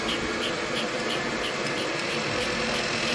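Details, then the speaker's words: Power steering air bleed after service: engine idling with 25 in of vacuum drawn on the pump through a liquid vapor separator; a steady rushing whir with a faint chirp about three times a second as air is pulled from the fluid, meaning pump aeration noise. "and as I draw the vacuum you can hear the pump starting to make noise as we're pulling the air from the [Music] fluid"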